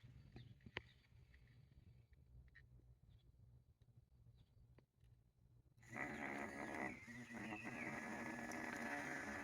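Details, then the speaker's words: Igloo countertop ice maker pump, bench-tested after cleaning: quiet at first, then at about six seconds it starts with a steady, even whirring hum. It would not run before being cleared out; now working normally. "So, I know my pump is working just fine. It was not earlier when I tried it."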